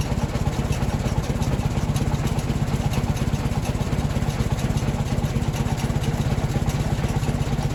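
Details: Ford 961 Powermaster tractor after ignition (points) repair; it had previously been firing only one cylinder randomly. In neutral: a steady, even low thumping at idle with no skips or stumbles, firing cleanly; normal idle.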